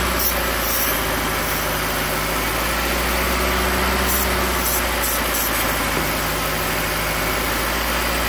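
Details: Misfire at idle on a 2008 Hyundai Accent: dead cylinder 2 with code P0302; lumpy uneven idle with brake-clean spray hisses; split intake manifold gasket leaks air, running cylinder 2 lean until ECM cuts its fuel.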